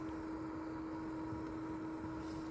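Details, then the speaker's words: Yaesu FT-710 AESS transceiver cooling fan runs constantly with a steady low fixed-pitch hum, even on receive right after power-on with no transmitting. The FTdx10 doesn't do this. "the fan runs it's right here the fan runs constantly even on receive I haven't even transmitted I just turned the radio on"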